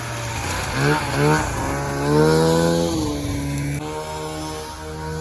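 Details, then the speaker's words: 1994 Polaris Indy 440 two-stroke snowmobile with airbox removed, air screw at 3/4 turn spec: crisp blips climb cleanly in pitch and drop back without bogging, pulling freely onto the pipe; normal revving. "oh man I am so stoked right now you have no idea how happy I am that this thing is finally running good it's usable now it's coming onto the pipe"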